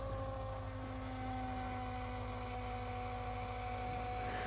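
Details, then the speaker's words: Ford 6.7L Power Stroke diesel after repairs (rockers, fuel lines, turbo), key cycled before first start: steady electric lift pump whine with fast low pulsing and faint gurgle as air bubbles and fuel return to the tank. "She's cycling here. Hear all the air and fuel going back in the tank now. Let's do this a few more times. I got bubbles."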